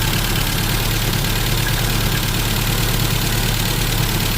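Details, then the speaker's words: 1988 Isuzu Trooper 4x4, manual five-speed, running again after sitting for many years: steady, even, smooth idle with no knocks or misses, no blow-by or smoke; likely needs plug wires; healthy idle. "But running away. Sounding pretty good. Not even no blow by."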